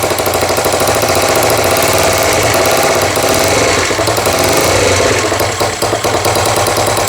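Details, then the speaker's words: GY6 49cc 139QMB scooter engine, first start after bottom-end rebuild (blown engine, metal shards), timing redone: loud, harsh, clattering rough idle with uneven rattly pulses and white smoke; runs but sounds horrible, owner suspects a leak or unrun oil. "Hey, it works. I don't know why it sounds like that, but it works. Look at that. Probably a leak or something, but it works."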